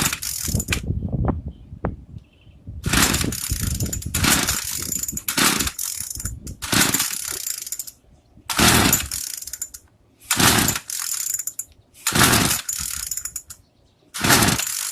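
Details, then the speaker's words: Craftsman two-stroke weedeater that stopped running after about six months of use and storage, choked and primed; repeated pulls about every two seconds, it spins and rasps but never catches. Plug gap found badly off, to be opened up. "Sound like it wants to start. All right, let's check this spark plug."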